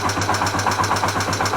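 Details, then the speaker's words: Yamaha TW200 single-cylinder engine, just reassembled with a rebuilt cylinder head, idling with a loud, sharp valve clatter about nine times a second; the valve clearances were set by eye for a brief run-in of the new valves. "собрал и даже завел то что вы слышите страшные стуки это стучат клапана"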